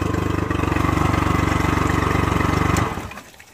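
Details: Honda 40 HP carbureted three-carb outboard, sat 3 months, on non-ethanol fuel, warm after a few minutes: smooth even idle thrum about four beats a second, steady until shut down; healthy warmed-up outboard.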